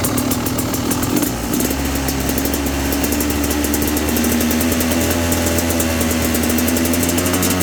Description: Does this when holding a steady thottle position.